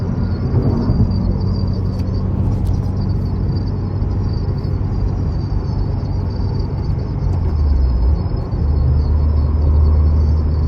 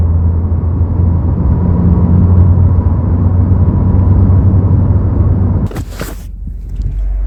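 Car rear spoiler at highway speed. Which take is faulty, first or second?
first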